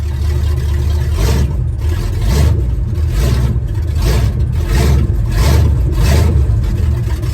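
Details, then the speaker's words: Truck engine just after new fan belts were fitted: the low note swells and sags roughly every second, stumbling as if about to stall. Owner suspects the heat is the cause; not confirmed. "oh [Music] why is he stalling out maybe because it's hot"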